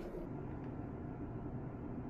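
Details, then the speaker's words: RV bedroom rooftop air conditioner on high after sound-deadening work: soft, even hum of fan and compressor with no rattle, measuring 36–37 dB, almost 10 dB quieter than before. "37 DB 36 DB wow look at that I can talk to you here now that's in the same spot as when I first opened this video and I don't have to yell anymore we dropped it almost 10 DB by doing this"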